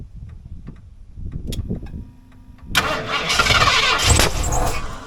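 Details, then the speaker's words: 1989 Ford F150 being revived, starting fluid sprayed into the intake after earlier failed starts: slow, uneven cranking for nearly three seconds, then it catches with a rough roar and sputters. Hard starting. "Yeah, it should be a little hard to get along Let's try lifting these up and spraying it down in there."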